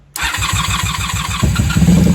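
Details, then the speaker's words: 1994 Honda Magna 750 VF750C after fuel line/connector repair, airbox removed, on choke: fires after a few tries then settles into an even throbbing idle rising slightly on choke; normal engine start. "Hey, she sounds good. She sounds great. I'm surprised she's running so well without the airbox on."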